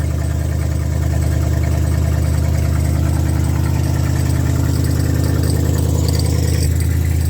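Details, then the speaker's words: Old V8, radiator removed, alternator hitting a cable: steady, even low burble at idle, about 200 pulses a minute, no misses or knocks; sounds healthy. "You can see the alternators hitting some kind of cable that doesn't really look all that important. But it sounds like a healthy engine."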